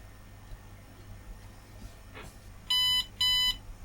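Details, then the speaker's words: IBM eServer PC with Intel Pentium III 1 GHz, one RAM stick in slot 1: two short high-pitched beeps about half a second apart at power-on; posts and shows BIOS screen but won't boot. "And it bleeps, but obviously it won't boot."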